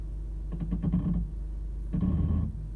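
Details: Two-week-old 2018 Toyota RAV4 XLE, since purchase: two short bursts of low rough grinding and groaning when releasing the brake slowly, in reverse and forward, regardless of steering; source not pinned down.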